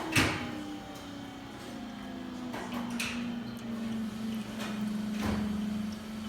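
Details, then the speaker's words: Vesuvius espresso machine after a water leak repair, during a shot: a steady, even, low hum from the variable-speed pump, which audibly changes speed around 57 seconds, with light clicks and no sputter or strain; no leaks under pressure. "now at 57 you can hear the pump changing speed on this one is one of the few espresso machines out there that actually has where the pump is a variable-speed pump"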